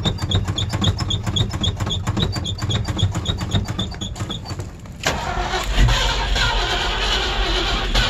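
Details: Old Ford Bronco, cold-blooded and hard starting, in late December: a long run of steady cranking at about four turns a second before the engine finally catches and roars to life, a hard cold start.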